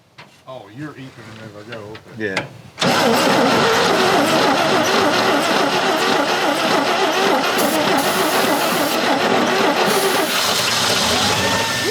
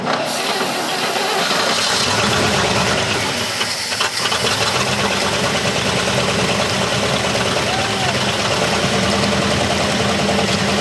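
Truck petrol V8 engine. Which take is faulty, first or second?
first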